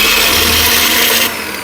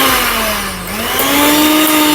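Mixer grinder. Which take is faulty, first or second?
first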